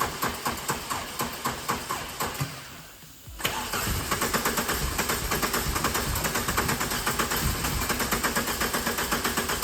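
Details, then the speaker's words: 65k-mile VW Corrado G60, fuel return blocked off and a machine hooked up for the first start attempt: steady starter churn at about two beats a second, a pause, then more cranking without catching; extended cranking, no start yet. "It's nearly there, come on. Oh God, it's getting closer. Oh, come on."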